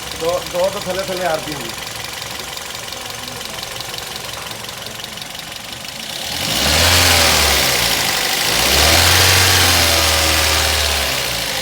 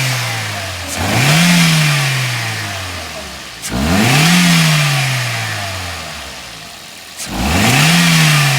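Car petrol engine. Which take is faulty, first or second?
first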